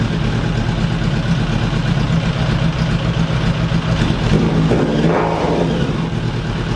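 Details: 2000 Suzuki Katana 750, started with the kickstand down to test the neutral safety switch after clutch assembly work, fairings off. Fires and settles into a steady, even four-cylinder burble with a rev blip near the end; runs clean and healthy.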